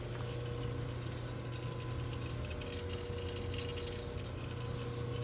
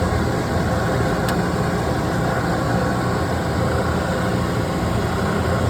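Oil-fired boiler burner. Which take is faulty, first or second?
first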